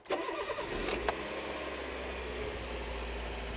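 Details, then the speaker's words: Toyota 1NZ-FE after replacing the in-tank fuel pump, strainer and fine filter, and refitting a forgotten fuel-module O-ring that had caused a no-start: brief crank catches quickly into a smooth, even idle, no stumble; normal start, no leaks. "Все завелось без проблем. Смотрим, чтобы не было утечек."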